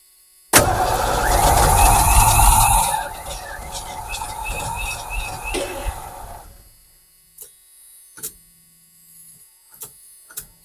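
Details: 1986 Ford F150 that sat for years, being started: starter cranks the engine in a fairly regular chug for about five seconds, never catching, then dies away; long crank, no start.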